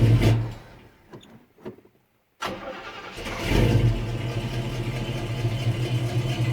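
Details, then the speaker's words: Normal starter cranking on a 1969 El Camino not started in several weeks. The starter was fitted with no shims after a 1/8 inch armature-shaft-to-flexplate gap was measured, and the door was opened to hear better. A short, clean crank with no grinding, then the engine catches and settles into idle. "Now, I'm going to open the door so maybe you can hear a little better. But there was no noise in that starter at all."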